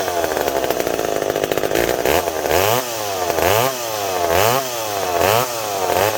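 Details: McCulloch PM700 chainsaw after carb cleaning and refitting a misplaced gasket, test-cutting an oak log to seat the ring: crisp high revs dipping and recovering about once a second as the chain bites, pulling cleanly without bogging.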